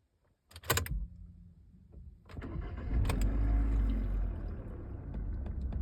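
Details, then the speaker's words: 2015 Hyundai Accent at engine start: cranks and catches, then quick, irregular light clicks from under the dashboard that then stop; source unclear. "Hyundai Accent заводится и вот. Потом все пропадает. Что за звук это? Откуда-то вот отсюда из-под панели выходит."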